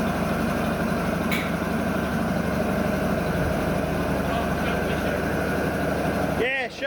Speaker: okay so she's all started up good we got good oil pressure the governor's just take just about taking the RPM off me